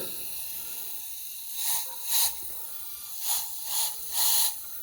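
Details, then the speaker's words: Drift car engine with the intake removed: soft repeated bursts of airy hiss. The air leak was traced immediately to the upper of two pipes. "so I think it's coming from one of these two pipes well I can hear it almost immediately it's definitely that upper one"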